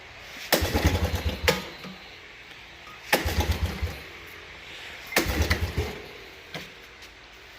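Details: Suzuki Quadrunner LT125 ATV, sat 3+ years, just after carburetor cleaning and reinstall, tried without choke as it ran earlier: three short starter bursts with uneven chuffing, engine never catches; cranks but won't start.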